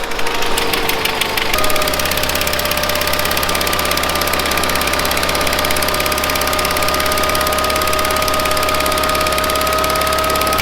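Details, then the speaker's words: 1970s Bolens QT16 garden tractor, long unused with old gas and gravity-fed fuel to the carburetor: uneven, labouring beat with an unsettled drone, about half choked; rough running, carb needs cleaning out. "it's about half choked so that carb needs cleaned out it's not running so great"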